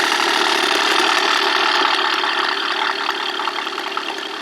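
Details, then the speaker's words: Portable tire-inflator air compressor rated to 150 PSI with digital readout, run off a solar battery bank, just switched on: fast, even buzzing chatter at a steady pace, no knocks or catches; sounds normal at first, though owner reports it later slows and quits at higher PSI. "Pretty sweet, right? Sounds good."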